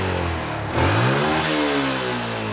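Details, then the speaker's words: Yamaha Jupiter MX before tuning work, throttle snapped fully open: engine dips and stumbles for a moment, then climbs; a clear hesitation before picking up revs. "Ada jeda ya sahabat milenial, dengarkan lagi ya. Ada jeda."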